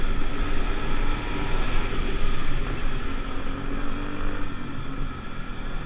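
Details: 50cc two-stroke Pulse Force scooter on a road test after a fuel-starvation fix (it used to need stopping to suck fuel through), 14-stone rider, no panels: crisp buzz holds steady over wind rush, no stumbling or bogging; running normally.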